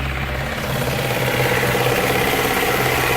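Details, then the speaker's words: Fiat Doblò idling: a faint, fast whirring rattle appears once the AC compressor engages; mechanic suspects a worn bearing. Bearing noise with AC compressor engaged. "está com um barulho e depois que aciona o compressor do ar condicionado e faz um barulhinho de vencer davi de rolamento"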